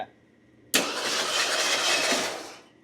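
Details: Circa 1975 Ford LTD abandoned 28 years, starter energized at the solenoid: short, even whirr turning the engine over with no catch; idler, power steering pump, fan and alternator rotate, engine not seized; normal cranking.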